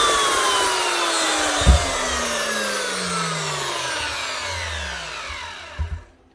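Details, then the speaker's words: Old Protool (now Festool) 1,000 W 5-inch angle grinder, heavy and well built, run at full speed: smooth high whine spinning up and winding down, no popping or gear grinding; running normally. "much better one old fast tool which used to be called protol 1,000 watt 5 in grinder that's actually a really nice machine nice and heavy and really well built"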